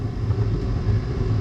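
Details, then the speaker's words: Chinese diesel heater, with mesh in the burner, run on one-third diesel/two-thirds waste oil: low steady roar with soft flutter 3–4 minutes after switch-off; pooled fuel in combustion chamber still burning, throwing heat. "I think it's actually still burning but the fuel has shut off quite a long time ago which means that there's a bunch of fuel built up in the chamber"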